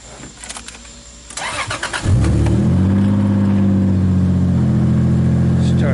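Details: 2JZ-engined drift truck, started after refitting the modified radiator with water-filled cooling system and reconnecting the battery: short quick crank, fires at once and holds a smooth, steady low rumble with no ticks or misfires; normal start.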